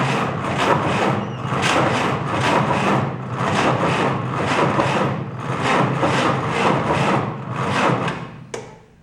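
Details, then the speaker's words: 1949 Willys F134 engine, spark confirmed, fuel poured into carb vent leaks out the bottom: slow heavy cranking pulses about once a second with no firing, then starter stops; cranks but won't start. Owner suspects carb needs attention. "I think we're getting close. Doesn't quite want to pop off. When I put fuel into the vent on the carb, it just leaks out the bottom, so I think that carb's going to need attention."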